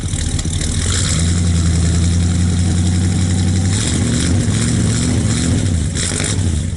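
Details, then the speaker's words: 1964 Buick Skylark V8 after sitting about 6 months, started cold in colder weather with electric fuel pump: deep, slightly uneven loping burble at cold idle, running a little rich while warming up. "a little rich. Clear all that out when it's warmed up."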